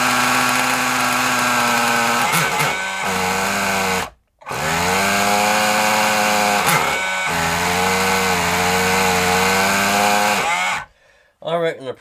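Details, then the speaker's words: Kyosho Mini Inferno nitro RC engine after priming and a carburetor screw adjustment: a small high-pitched engine surging and sagging unevenly, cutting out twice before dying. Erratic running; the owner suspects the glow plug. "problem is glow plug to be honest and I haven't got another one of them"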